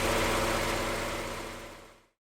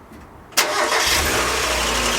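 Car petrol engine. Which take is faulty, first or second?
second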